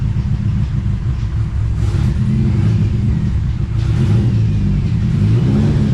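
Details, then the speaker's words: TVR Cerbera restarted after fitting new coils, still running rough: a deep, uneven rumble with irregular surges and dips, something rattling at the front, possibly the air-con compressor moving. "oh it seems a bit better as you can hear there's um something rattling up the front looks like the airon compressor is moving a little bit or"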